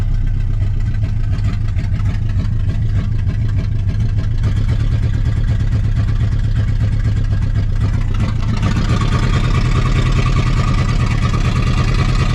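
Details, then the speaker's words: 1960 Pontiac Ventura, 389 two-barrel V8 with automatic, first run after 24 years parked, cold weather, idling in gear: deep, steady, even rumble; it earlier missed a cylinder but is now cleaning up. "it's starting to clean up"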